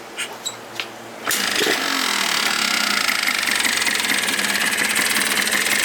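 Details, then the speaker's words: Yamaha Blaster 200 two-stroke after rebuild (new carbon reeds), key start with no airbox fitted: a few clicks, then catches into a crisp, raspy, even idle with intake open; runs mint, healthy. "Well, couldn't wait any longer. Blaster runs absolutely mint right now though."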